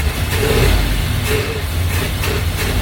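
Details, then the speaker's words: 1965 Cadillac hearse, long-seized engine, trying to get fuel from the fuel pump to the carburetor; catches and runs rough with uneven low rumble and surging, never settling; owner suspects no fuel being pulled or clogged carburetor. "just doesn't seem like we're pulling any fuel still you know it's it's running but it's it's just not getting there or maybe we're clogged on the carburetor i don't know yet"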